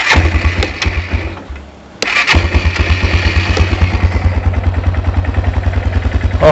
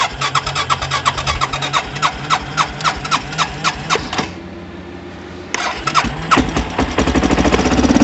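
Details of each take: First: Baja WD250U or Kawasaki Bayou 220 ATV with a bad-gas carburetor, started on jumper cables: it catches, stumbles briefly, then settles into a steady, quick, even thumping idle; it runs fine. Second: Baja WD250U or Kawasaki Bayou 220 ATV that sat with bad gas, started on jumper cables; uneven single-cylinder chugging at about three beats a second fades then surges, running only with choke on, so the carburetor needs cleaning.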